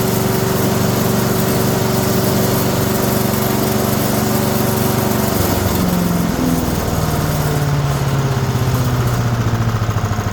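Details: Older 5 hp Briggs & Stratton single on an abandoned chipper, with the valves freed with Deep Creep. First start on choke with the air cleaner off: it catches and settles into a steady, slightly lumpy idle as it warms. Normal warm-up idle.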